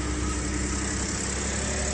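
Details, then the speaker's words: Ford F-150 Platinum 3.5 EcoBoost with 10-speed, about 90K miles, after cam phaser repair: smooth even idle at cold start after sitting days, steady mid-pitch hum with no cam phaser rattle; fixed. "Let's see what it sounds like. I bet it don't rattle anymore. Beautiful."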